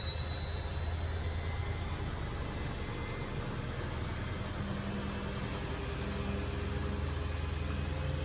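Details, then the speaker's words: Candy Grand O Vita GV139D3 9 kg washer on a 14-minute rapid test wash with about 2 minutes left: a steady hum with a thin whine climbing slowly as the drum speeds into its final spin, with no rubbing or knocking, a normal spin ramp-up. "That sounds like its final spin now. It's getting there."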